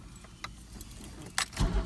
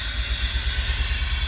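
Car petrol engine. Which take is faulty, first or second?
second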